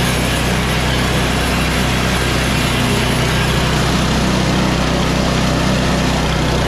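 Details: Yard Machines MTD 24" 824 two-stage snow blower with an 8HP Tecumseh Snow King engine. The carburetor and fuel line were replaced to cure surging and stalling at mid throttle, and the oil was changed. Primed, it holds a steady throttle with no surging or sputtering; runs healthy.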